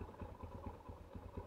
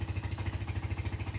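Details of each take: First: 2008 Yamaha Scorpio 225 after engine teardown and rebuild, following rough running after five months unused: even regular low thumps with clutch pulled, no rattle between beats; idles fairly smoothly; normal idle. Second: 2008 Yamaha Scorpio 225 after five months unused, idling after oil and oil filter change: low lumpy idle with harsh rattly edge, smoother with clutch pulled in. Rough idle.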